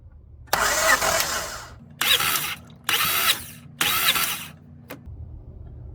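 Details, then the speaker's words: 1998-2002 Honda Accord F23 four-cylinder compression test, throttle held wide open to disable injectors, four cranks per cylinder: four even one-second starter bursts; reading 130, normal compression. "So, crank once, crank twice, crank three times, crank four times, and then that'll give us an accurate measure."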